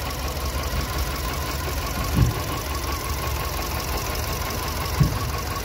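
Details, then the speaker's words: VW Polo petrol engine idling with a low, uneven rumble and two heavy thumps, rough running from a blown head gasket. "This car blew the head gasket. Yeah. This car blew the gasket."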